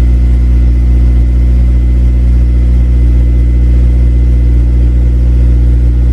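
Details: Honda Civic Si cold start below freezing, not started for about two weeks: deep, steady idle with even firing and no misses, knocks or rattles. Healthy engine.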